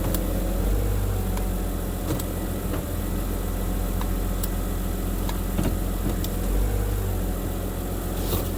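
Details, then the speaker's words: 2011 BMW 328i xDrive (E90, high mileage), restarted and shifted toward reverse: starts right up, even settled idle with light clicks while selecting gears; normal idle, though a 4x4/transfer case code is present. "Starts right up. The starter sounds awesome."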